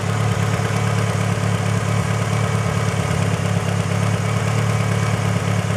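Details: Mitsubishi Evo 8 with stock cams, fully warmed up at idle: fast, light ticking about three or four a second over the engine note; owner asks whether normal valvetrain noise or possible lifter tick, unconfirmed.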